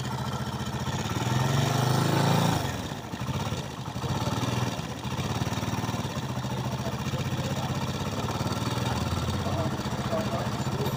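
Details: Small motorcycle engine blipped, then dropping to an uneven idle with a loose rattling clatter over the beat; abnormal engine noise, source unclear.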